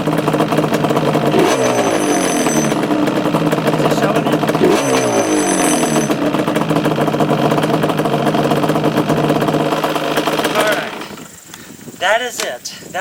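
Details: 2002 Yamaha Banshee two-stroke ATV before kickstart rebuild: buzzing and blipping with a loose metallic rattle riding over it, dying away at shutdown; loose kickstart mechanism.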